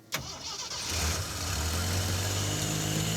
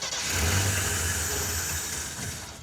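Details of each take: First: 4x4 AMC Pacer, first start after cycling the key, loud fuel pump: short crank, catches quickly and settles into steady even low idle, no stumble; normal start and idle. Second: Off-road AMC Pacer with Holley Sniper 2-barrel EFI: engine cranks and briefly tries to catch but never picks up; the electric fuel pump does not key on, so there is no fuel delivery.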